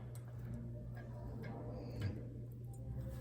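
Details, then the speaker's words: Specialized Expedition bicycle on stand, 8-speed rear, after derailleur adjustment: soft uneven tick roughly 44 per minute under quiet freewheel whir; a small bump, cause unclear, amid ghost shifting and chain skip under load. "But can you hear that little bump?"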